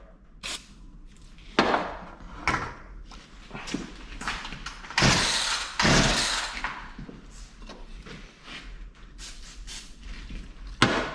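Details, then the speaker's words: Poulan Pro P3416 34cc 16-inch chainsaw left in an abandoned building, with a new spark plug and carb cleaner sprayed, choke on: recoil pulls and thumps with no firing, so it cranks but won't start. Spark was later confirmed. "so nothing i guess we need to see if we're getting spark"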